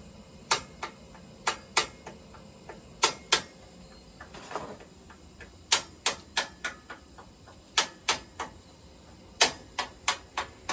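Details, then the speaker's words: Residential steam heating system: sharp metallic bangs and pings, irregular, often in quick pairs, over faint hiss; water hammer as boiler steam hits water in pipes, owner also concerned about boiler water loss. "so the banging you know as I said before the banging sounds that we're hearing right now is water violently exploding when steam which is created by this boiler uh hits it"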